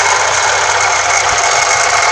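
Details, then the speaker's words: 1990 Chevette, 1.6 HC engine, 460 carburetor, engine running: constant high rough whirr with no rhythm from the alternator, which charges normally at 13.5–14 V but gets very hot soon after starting; owner believes the bearing is damaged. "Isso aí galera, com certeza deve ser o rolamento que já está danificado galera."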